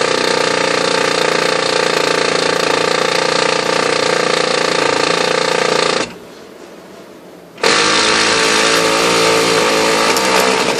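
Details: New replacement Oki Data MB480 printer that shows errors and jams with no obstruction; busy mechanical clatter with rough grinding, briefly stopping then resuming, grinding noise, cause unclear.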